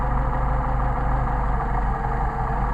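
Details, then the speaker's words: Mercedes 190SL with rebuilt, remachined Solex carbs: low lumpy idle sags and wavers as the sensitive idle mixture screw is deliberately exaggerated off setting; adjusted to midpoint between stumble points, in practice only minute adjustments. "I'll exaggerate it so you can really tell yep I see it start to drop off almost going to die"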